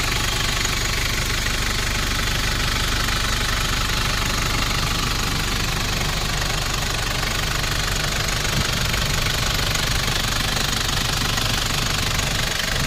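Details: 1994 Nissan Big M pickup, BD25 2.5 L four-cylinder direct-injection diesel, after a test drive: steady, even clatter at idle, a couple of beats per second, no misses or knocks; healthy idle.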